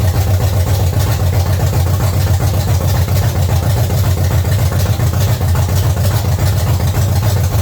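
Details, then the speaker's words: 1970 Chevy C10, small block 305 V8, after intake and carburetor change: deep, even idle burble with no stumble, miss or tapping, running healthy; timing still to be checked. "yes hopefully you tell our camera wasn't too loud but it's running amazing definitely gonna check or set the timing"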